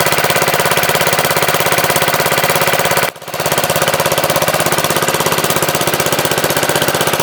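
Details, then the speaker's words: MTD Wizard lawn tractor small single-cylinder engine after spark plug change: steady, even chug with one brief dip, otherwise smooth, no misses or knocks; runs really good, owner suspects clutch or transaxle issue, loose shifters. "well it runs really good there's something up with the clutch though or the transaxle"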